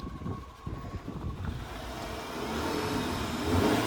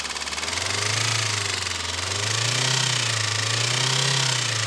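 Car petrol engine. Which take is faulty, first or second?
second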